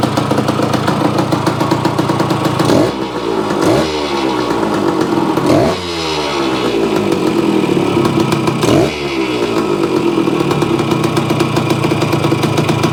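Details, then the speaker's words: Yamaha AT-1 converted to CT-1, first start-up after rewiring, oil pump priming and carburetor fix (suspected sticky float or debris under needle), choke on, pre-mix fuel; crisp, even two-stroke idle with quick blips, steady firing, normal and healthy. "Sounds pretty good. Okay guys, there you have it. The AT-1 to CT-1 runs. Sounds pretty reasonable."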